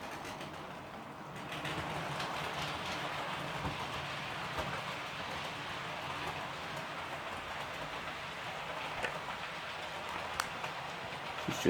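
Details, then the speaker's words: Model Class 66 locomotive running on new decoder, happier than on original: continuous gritty grinding over faint rail clicks; motor grinding, cause unknown, but pulls a good train length. "this 66 is far more happier on this decoder than it was in the original decoder but as you can hear it is a bit kind of [Music] you can hear a grinding around the"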